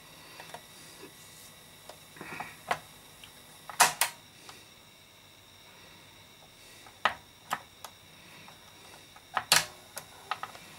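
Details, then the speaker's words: Toshiba RT-120S radio cassette: scattered sharp clicks and ticks from the old, worn tape mechanism, considered unfixable mechanism noise. "yeah this now can do now can do about that noise it's just mechanism noise there's not really a lot I can do about it"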